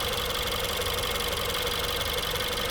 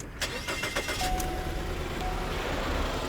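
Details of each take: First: 2016 Ford 1.6L EcoBoost GDI, back with a comeback misfire: even idle with steady light injector ticking, no stumble or skip; power balance test looks great. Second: 2016 Ford 1.6L EcoBoost GDI, new injectors and high-pressure pump 3 months ago: starts, then idles with a regular stumble about three times a second and shaking; single-cylinder misfire that moved with the spark plug.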